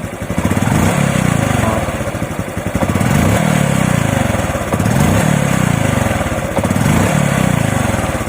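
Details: RS125 Fi motorcycle that hesitated and coughed on throttle despite a new throttle body, spark plug and fuel filter; after replacing the faulty spark plug cap, the engine blips up and settles back cleanly every two seconds with no coughing or stumbling.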